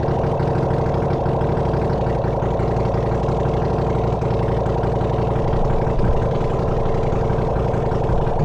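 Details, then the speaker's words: Honda CX500 engine on a bench test rig, no exhaust, no coolant, no oil filter, getting warm: steady even low rumble with no misses or knocks, smooth idle; runs pretty good. "But it runs actually. It runs pretty good."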